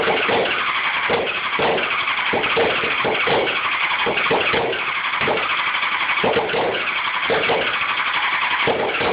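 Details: Honda CBR600F4 cranks but will not start: repeated uneven cranking bursts, engine turns over but never fires or picks up speed.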